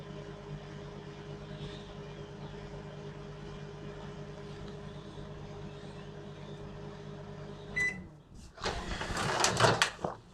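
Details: LG microwave brought in as faulty, heating a cup of water: steady low mains hum with faint constant tone, even for eight seconds before the door clatters; water heated, runs normally, no fault found.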